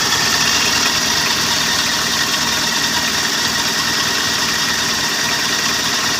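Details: Mitsubishi L300 diesel van idling steadily with even clatter, no misfire, after fixing cold-morning hard start by restoring battery current to glow plug heater wire and refitting relay.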